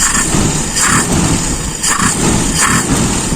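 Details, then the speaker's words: Carbureted car engine, still cold, with the primary jet reduced slightly. Loud rough running that sags and hesitates on each throttle snap without the accelerator pump, showing a lean primary jet bog; to be retested when warm. "tapi ini sudah kelihatan sedikit memang ada ngoknya lebih ngoknya lebih"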